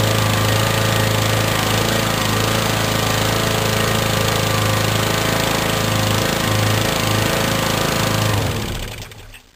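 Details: Lawn mower after fixing surging/hunting and hard starting (missing carburetor spring refitted, extra gasket added for slightly warped carburetor): engine holds steady even beat with no hunting for eight seconds, then winds down cleanly at shutoff.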